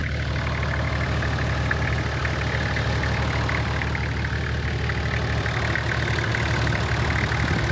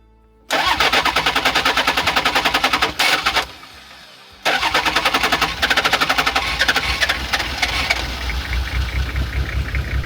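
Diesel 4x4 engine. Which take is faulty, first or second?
second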